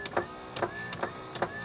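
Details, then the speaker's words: Toyota Corolla passenger front power window: motor whirs steadily with sharp clicks about every 0.4 s but the glass doesn't move; motor is fine, regulator and track cables broken, regulator to be replaced. Broken window regulator cables. "as you can hear, but the regulator and the track, the cables have broken. So this window has to be wedged up."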